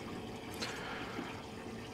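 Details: Bass boat live-well aerator running after a Flow-Rite MA-103 ProTimer was installed; the old timer clicked but wouldn't switch it on. Quiet steady splashing into the well over a faint pump hum: aerator working normally.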